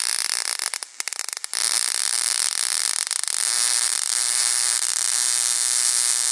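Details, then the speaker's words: Homemade single-2N3055 flyback driver fed about 6.3 V from a 12 V transformer, with UF4007 protection diodes. Sputtering starts, then a harsh, steady crackling arc hiss that holds evenly; the transistor stays barely warm. Normal arc buzz. "let's flip this thing on and I'll show you some of the Sparks that this thing can make they're uh pretty impressive spark"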